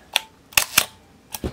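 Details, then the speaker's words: Minolta SRT 202 35mm SLR shutter, cocked and fired while stepping down through the slow speeds from 1/4 to 1/2 and 1 second: sharp open click, pause, crisp closing snap, clean recock. Sounds good; shutter faults would show at 1 second. "1 14 1/2 and one full second and that sounded pretty good"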